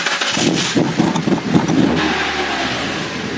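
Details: 1999 UK Mazda MX-5 Mk2 1.8 that won't start or idle without throttle: fires with throttle, revs unevenly and surges before settling; mass airflow sensor missing its hot wire, replacing it fixed start and idle.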